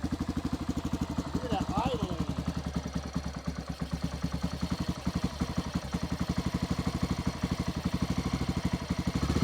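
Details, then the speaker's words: 1994 Honda XR650L single-cylinder, unstarted 14 years, just started on choke after spark restored: steady, slightly uneven idle of about four beats a second, settling without knocks or rattles; healthy. "freaking idle wow 14 years of sleeping day one we got it fired"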